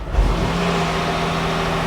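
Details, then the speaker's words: Smart car after repair of an engine knock that rattled on cranking: engine catches cleanly and settles into smooth steady idle with no rattle or knock at start-up; normal. "let's just see if it starts up and has no rattle you'll know straight away cuz as soon as you cranked it it done the noise didn't it"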